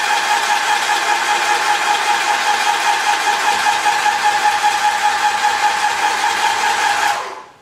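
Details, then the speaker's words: Graco ProStep airless sprayer held on prime, drawing paint through an empty system after cleaning: a steady motor whirr with even pump strokes of about 2.5 a second. The motor changes slightly as paint nears the prime arm; normal priming. "So I held it on prime for a little bit. You can just hear the motor change a little bit, and then you can sort of tell when it's going to start coming out."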